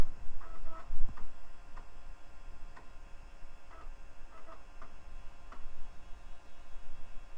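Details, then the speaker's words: Early-2000s eMachines eTower 633id floppy drive trying to boot from a known-good disk: soft uneven ticking roughly every second over quiet room hum, head stepping and seeking while struggling to read; drive suspected bad. "no doesn't sound good wow two bad drive so far think that e machine's cheapness is showing through"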